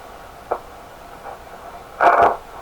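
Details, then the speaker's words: Heathkit SB104A transceiver keyed into tune on high power on the 80 m (3.5 MHz) band: quiet speaker hiss broken by brief chirps and a harsh half-second burst of noise; cause of the intermittent speaker noise unknown. "Tune puts a signal on the speaker so you can hear it. I think that's why you hear it coming out of the speaker. It's a function of the radio to play the tune signal out of the speaker."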